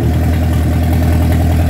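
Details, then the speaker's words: Rebuilt Mercruiser 3.0L from a 2006 boat, freshly started after an oil-pressure-loss rebuild: steady, even low idle rumble with no knocks or misses, 40 psi oil pressure. Timing still to be set; carburetor suspected slightly lean. "That's pretty impressive. Nice and smooth. Let's see what the oil pressure is at idle. We got 40 pounds at idle."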